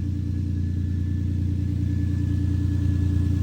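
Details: 2003 Lexus IS 300 just after new spark plugs, coils and wires, with one cylinder at 180 compression: steady, even low rumble with no misses; normal idle, though it reportedly won't restart after shutdown unless three injectors are unplugged.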